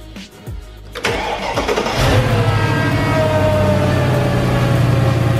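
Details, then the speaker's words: Mercedes E55 AMG, supercharged M113k V8, cold start after replacing the supercharger belt tensioner: cranks, catches and settles into an even smooth idle with no belt squeal or chirp, quieter than normal. "may I take that sounds really quiet jeez that's quieter than normal"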